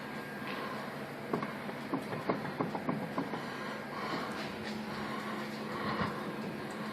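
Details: 2005 Mazda with a worn wheel bearing so loose the brake rotor rubs the spindle frame; irregular bursts of light clacks, several a second, then fading.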